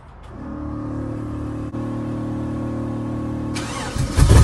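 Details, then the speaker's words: 1966 Chevrolet C10 LS swap on stock cam, untuned before HP Tuners: cranks and catches into a lumpy, slightly uneven idle then revs; intermittent rough running with popping backfires and rich smell, owner suspects excess fuel, unconfirmed. "it's doing some popping it'll just backfire every once in a while smells Super Rich"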